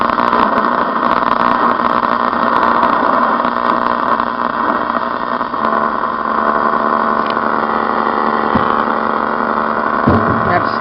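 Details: 1972 reproduction Philco Baby Grand radio DXing on AM: constant buzzing hum with thin whistling tones over the station; interference pickup, owner suspects a 5G tower, not confirmed.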